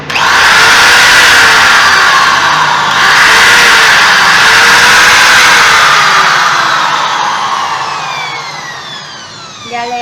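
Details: Drill tested after repair of a stripped armature spline/gear and reassembly with brushes: steady high-pitched whir at full speed, even gear noise, smooth coast-down at the end; normal operation.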